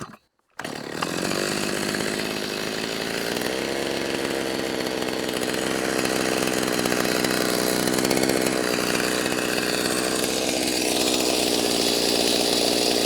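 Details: Freshly rebuilt Stihl MS390 chainsaw, very hot, smoking: stays at a fast, steady buzz instead of a low idle; high idle, owner suspects idle screw turned in or air leak, not confirmed.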